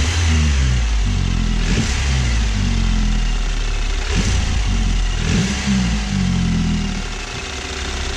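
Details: 2012 BMW 528i (F10) turbo, after tightening wastegate that rattled under revs and threw underboost codes: engine revs up and settles several times with clean note and no metallic rattle; fixed.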